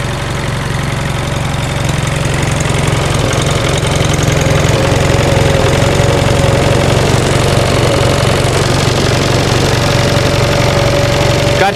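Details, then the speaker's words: 1945 Onan generator just started after fuel pump rebuild, throttle turned down: slow, even low thumping idle, no misses or knocks, good oil pressure, charging hard; runs cleanly. "now it's running it's running slow now of course i turn the throttle down we gotta turn that down a little bit charging hard there we go isn't that a nice sounding little generator"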